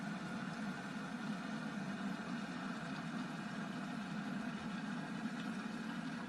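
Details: Kitchen Powertech EW 3683 glass electric kettle, 1850–2200 W, tested with bottom cover off after repair of burnt switch contacts: steady even rushing rumble with a low hum underneath, no crackle or sputter; heating normally.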